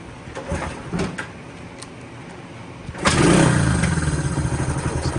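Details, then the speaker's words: Honda CT90 after carburetor cleaning, static timing set, overtight valve adjusted: a few kicks on the stand, catches first try, revs briefly as throttle accidentally hit, settles into an even, quick-firing idle; idle needs slight adjustment; normal start. "accidentally hit the throttle but as you hear it starts right up and and runs i think i need to adjust the idle a little bit but that's better than what it was doing before starts right up"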